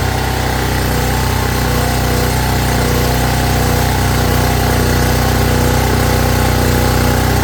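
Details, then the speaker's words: Champion 4000 W (3500 continuous) generator after carburetor cleaning that fixed a no-start, fuel line still leaking and electric choke unhooked: steady, even beat at constant speed with no misses or surging, running normally. "But it looks like we got a winner."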